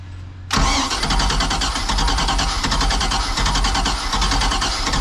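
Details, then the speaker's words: Old sterndrive boat, first start attempt: a ragged crank that never settles into a clean idle after the throttle was pumped for gas. The owner suspects it flooded and smells gas. "did I give too much [Music] gas probably flooded it now I smell gas"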